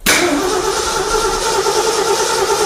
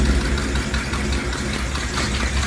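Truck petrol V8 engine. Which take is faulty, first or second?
first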